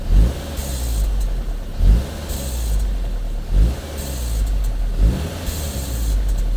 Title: Audi A4 B7 G.H - Rattle noise from turbo waste gate when reving engine